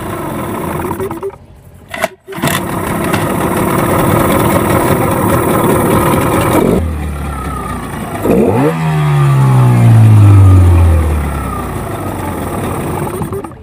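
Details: Yamaha 15 hp outboard after a repair for hard starting and lost power caused by stuck piston rings and a clogged exhaust: after a pull start it catches quickly, runs a steady buzzy idle, then revs up and falls back cleanly; normal running.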